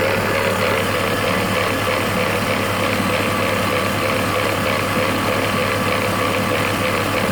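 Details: BMW E46 330Ci M54 engine at idle: steady idle with rough, gritty rasp at constant pitch from the engine bay; unidentified grinding noise.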